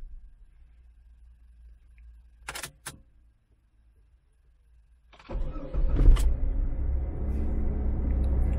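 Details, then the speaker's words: Jeep Cherokee XJ with a newly DRB3-reprogrammed Strike key: a few quiet clicks, then it cranks, catches quickly and settles into a steady, even idle with no misses; the immobilizer accepts the key and it starts normally. "Jeep devrait démarrer sans problème et ne pas se couper. Ben écoutez, ça fonctionne. Excellent, ça fonctionne."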